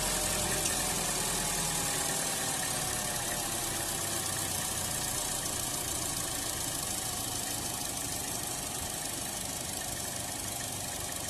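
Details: 2016 Buick Encore idling very rough and surging, intermittently stalling with check engine light and code P0131 (O2 sensor 1 low voltage); uneven hunting idle with background hiss from a vacuum leak at the failed crankcase vent (PCV) valve disc atop the valve cover.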